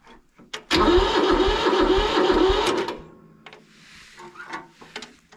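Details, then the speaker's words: Mid-1970s Kubota L175 two-cylinder diesel tractor, auction purchase: loud pulsing starter chug for about two seconds, then it drops away quietly; a reluctant cold start, owner suspects it wants glow plugs. "I guess you're going to want some glow plug. Uh I guess it wasn't really running that long."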